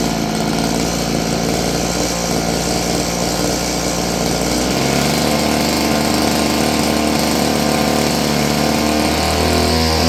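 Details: Roughly 30-year-old Stihl FS56 curved-shaft two-stroke trimmer buzzes unevenly at idle, speed hunting and sagging rather than settling.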